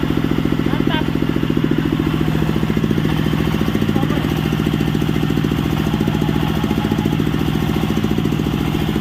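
Steady, even chugging at about three and a half beats per second with no knocks or misses; the sawmill engine runs cleanly.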